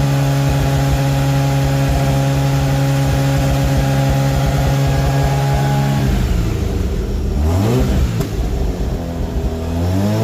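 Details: Mazda RX8 with 13B REW turbo swap, noise retest after failing an engineering inspection, 3-inch exhaust with original mufflers: steady idle, then a clean rev that rises and falls smoothly with no rasp; measured 90.2 against a 90 limit.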